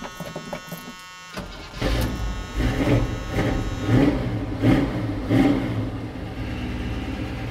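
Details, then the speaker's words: High-compression small-block Chevy 350 that sat unused, started with a jump box: slow labored cranking with heavy compression pulses about every second, then it catches and revs; hard starting, cause unconfirmed. "I might have to go get some old gas Iron Man this may be a failure but it is it is starting to easy though"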